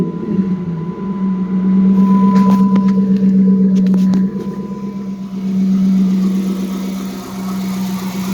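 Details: Dodge Charger 5.7 Hemi after replacing the shredded serpentine belt and bad tensioner pulley, belt possibly too tight: even, steady idle with a smooth drone and a couple of light revs, no squeal or chirp; sounds healthy.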